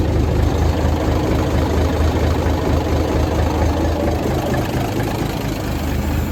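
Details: 1978 International Transtar II cabover diesel, first start after sitting 3 years during restoration: deep, steady idle with an even low thump, no knocks or misses; engine running cleanly.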